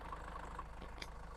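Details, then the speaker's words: High-mileage Range Rover Evoque diesel with a low idle and a rattly shudder; the engine still rocks even with one mount taken out of the equation, and the owner suspects the dual-mass flywheel. "You know, I've sort of taken that mount out of the equation here, and the engine's still rattling around. it is still moving around. It's not as bad. I think this needs a dual mass flywheel."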